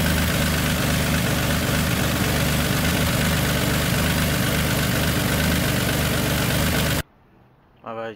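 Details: Nissan G35 (turbo) idling after a new starter and battery fusible link were fitted: steady, even idle with a smooth low rumble and no misses or knocks for seven seconds, then it cuts out; running normally.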